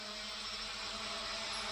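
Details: Hubsan H502E GPS quadcopter from 2017, rebuilt with new motors after a burnt-out motor (owner thinks front-left), on an indoor garage hover test; smooth, even high whine from all four motors with no rattle or grind; ball bearings sound smooth and healthy.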